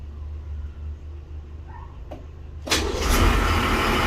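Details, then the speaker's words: 1984 Nissan Patrol SD33 diesel, restarted: a short crank, then it catches at once and settles into a steady even clatter. It starts with no problems, just as it always does. "Yeah, no problems. Just like it always does. This one is running really nice too."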